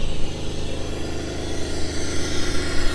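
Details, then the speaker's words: Jeep TJ buggy on 42-inch tires and one-ton axles, newly acquired: steady low rumble with even firing beat at idle just after start, no knocks or ticks; starts right up and sounds good, wiring needs redoing. "It has a key. Starts right up. Sounds good."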